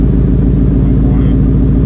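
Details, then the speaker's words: Cobra Daytona Aluminator warming up on its first runs, coolant still being added; heavy low rumble with a slightly uneven pulse; it idled badly until the air cleaner was partly zip-tied to restrict air, and it still needs a tune. "it was running like crap at idle so what we did is i zip tied partially around the air cleaner so we were getting so much air in there this thing needs to tune"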